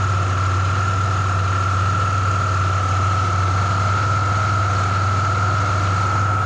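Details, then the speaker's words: Car at idle with A/C on after alternator replacement, previous P0446 code and no-start episodes: steady high-pitched whine over even idle, tensioner jumping with belt at end of travel; owner suspects bad tensioner or belt, unconfirmed. "so that's my concern is this tensioner bad or is the belt the belt was supposedly changed"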